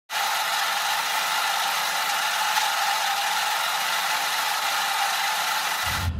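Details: Honda S2000 engine running with a steady, dense rattling grind from a worn serpentine belt pulley bearing, a common S2000 issue; the pulley itself is fine and only the bearing needs replacing.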